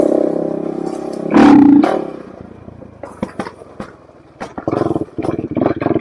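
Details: 2007 Suzuki LTR450 quad won't take throttle: a short rev dies into scattered pops, backfires and stumbles; fuel starvation, with a blocked fuel filter suspected.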